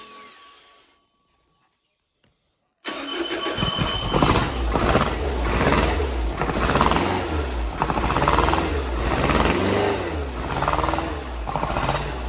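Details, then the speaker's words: Porsche 914 newly built 2056 cc engine with dual throttle body MegaSquirt EFI, first start on test stand: catches and runs ragged with surging revs, can't hold idle; running lean because fuel was not set up correctly in software. "so wouldn't stay running because we did not have our fuel um set up correctly in the software so really not getting enough fuel to keep it around"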